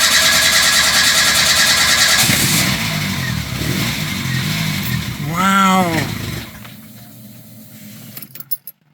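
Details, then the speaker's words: Renault 5 GT Turbo after a carburetor rebuild: long steady cranking while fuel refills the float chamber, then the engine catches and fires up cleanly. "well we it fired up I'm that's amazing it's got life"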